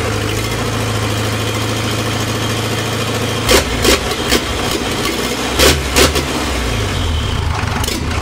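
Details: Land Rover 2.25 diesel with three main bearings, first start in about a decade: settles into a steady, even low chug at idle with a few light clicks over it; normal idle.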